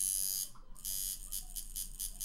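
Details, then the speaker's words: Coil tattoo machine with the power supply turned all the way down to near zero: a steady, crisp, high buzz in short even bursts that keeps running at minimum power, showing a well-tuned, good-running machine. "I'm all the way down that's how you know a good running machine I'm all the way down to zero like one BT still running that's a good machine"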